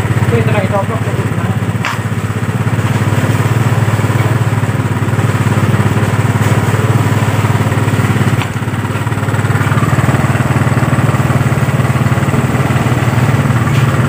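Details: Yamaha Mio Sporty that was dead, started after carburetor service and spark plug refit; uneven, hunting idle beat with slight surges; leak found at the carburetor diaphragm (membrane), to be repaired; rough idle.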